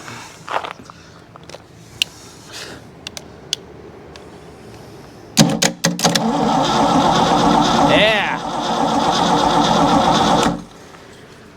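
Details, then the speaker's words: 1984 Ford 351 Windsor V8 from an F-150, stored about 23 years, cranking on a battery after oil priming, before finding top dead center. About five seconds of brisk, even cranking at roughly three beats per second, with no dragging. Normal starter cranking. "now we got some juice flowing. Cranking over really good."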